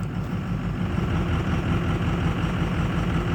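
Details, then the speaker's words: 2006 Ford F250 Super Duty 6.0 Power Stroke diesel idling in reverse, engine warming but not fully warm, cold day; heavy uneven lumpy rumble, rough idle; glow plug control voltage checked OK, cause unknown. "boy that's running rough i know the motor's not warm actually it's getting up there in temperature"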